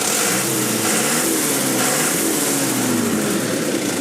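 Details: 1999 Mitsubishi Canter 4WD cab-over fire truck, 4.7-litre four-cylinder diesel under the cab, about 9,000 original km. Even diesel clatter at idle with a steady hum and fan noise, no knocks or misfires; a healthy idle.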